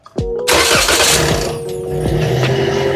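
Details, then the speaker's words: Toyota Corolla cranking and starting right after a home-service replacement of its worn-out battery with a GS Calcium 345LN1. It cranks briefly with a slight hesitation, which the owner suspects was the fuel pump not yet primed, then settles into a steady idle. Cranking voltage was 10.7 V and running voltage 13.85 V, a normal start. "Oke, agak nyendet mungkin karena pompa bensinnya tadi belum narik ya, Teman-teman."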